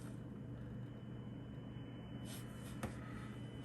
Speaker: Both my scanners are picking up a little birdie, a little hum on 156.0150. I've never experienced this before.